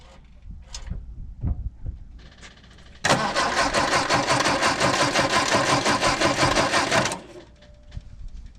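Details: 1967 MGB GT that supposedly ran last summer, jumped from another battery with oil checked: steady even starter churn for about four seconds, roughly three beats a second, never catching; cranks but no start, fuel pump suspected.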